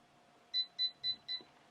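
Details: DIVA Pro Styling autocurler, normal use: four short, evenly spaced high beeps about a quarter second apart over a quiet room, the normal signal that the curl is ready.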